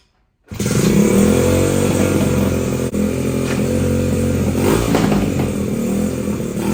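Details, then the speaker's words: 1985 Honda ATC70 with 125cc upgrade, first start after build, cold-blooded: crisp single-cylinder putter, about four pulses a second, steady with slight unevenness; runs well overall but needs carb tuning. "Oh, badass. Freaking sounds good. Needs some tuning, but it's overall stoked."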